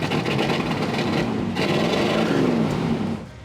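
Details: 1978 Ford F100 on road test after revival, new fuel tank and front brakes; steady engine pull under road and wind noise, no knocks, squeals or misses, oil pressure good, running healthy.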